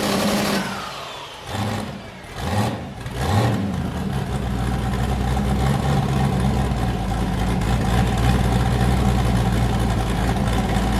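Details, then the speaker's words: Boosted V8 with a new cam, just started after a repair; it had earlier made 23 psi and blown a coupler, and the owner feared damage. A few rev blips, then a deep, steady, loping idle firing evenly on all eight: a normal choppy cam idle. "man that new cam's chopping hard dude holy crap"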